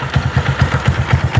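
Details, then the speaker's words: Single-cylinder motorcycle idling after treatment for piston-skirt slap that had caused knocking and heavy smoke; steady even putter with no knock or rattle, smoke and noise gone. "Pode desligar, ó. Aí. Parou o barulho, parou tudo."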